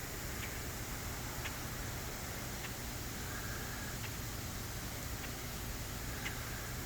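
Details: High-voltage power lines in rain and high air moisture: steady rain-like hiss with faint scattered crackles and no engine behind it, corona discharge that gets louder in wet air or fog.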